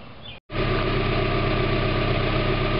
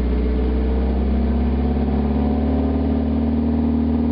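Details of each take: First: 1991 Mazda Miata MX-5 just started after a new catalytic converter was installed, not yet warmed up: a smooth, even idle with a steady low beat and no puffing or ticking at the flanges; no exhaust leaks. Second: 1991 Mazda MX-5 Miata, parked about 5 months, running with catalytic converter removed: loud droning exhaust with a steady low tone climbing slightly with revs; revs quicker and runs smoother, deeper, throatier sound.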